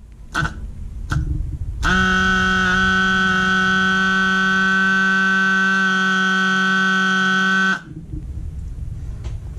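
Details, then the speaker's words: Previously seized Holley electric fuel pump for V8 engines, bench test after reconstruction: switches on with steady even buzz for about six seconds then cuts off cleanly; pump now working properly. "that sounds much better so just to do a quick Gap here whilst I put all my tools away is possible to repair a holy fuel pump yes it is"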